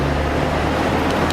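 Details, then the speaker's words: Holden VT Commodore 3.8 with ABS, traction, airbag and engine warning lights on: loud constant rushing roar from front radiator fan stuck on high, no cycling; caused by failing ABS module. "and you can hear the fan roaring up the front there. This is a VT Commodore."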